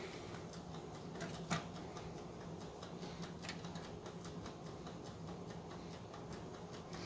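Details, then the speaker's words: Mid-1920s Waters-Genter Toastmaster 1-D-1 commercial toaster: light, even ticks, three or four a second, from the spring-driven clockwork timer running normally after its broken clock spring was repaired; no electrical connection made. "no electrical connection has been made but you can hear that ticking away in there that clock spring had broken at the end so I had to repair it"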